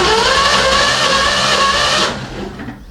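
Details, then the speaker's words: Engine sat ten years or more, all spark plugs out, cylinders lubricated with Marvel Mystery Oil: fast, light, even cranking whir with no labouring beats during a compression test; compression far below the 100 psi minimum needed to run, 120 psi better. "The compression is bad. Now I bet you can figure out what the red and the green mean. We're not even close to the green. We need at least 100 psi of pressure in the engine for it to run."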